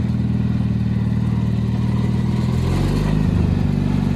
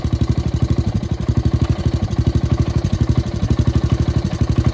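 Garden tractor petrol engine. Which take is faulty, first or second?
second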